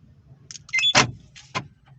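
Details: Volkswagen Voyage central locking motor after repair (door panel reassembled; previously noisy and sometimes not unlocking): two crisp lock clunks with a brief motor whir, no grinding, now normal.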